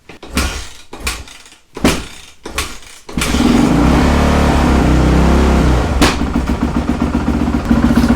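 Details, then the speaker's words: 2008 Suzuki RMZ450 after a total rebuild and a fix to the auto-decompression assembly, kicked with the enricher on. It starts after four or five slow kicks and settles into a crisp, even idle with blips. Starts fine, though the owner notes the idle runs low. "That wasn't too bad. Four or five kicks. It's like we can take that circuit off. That sounds pretty good."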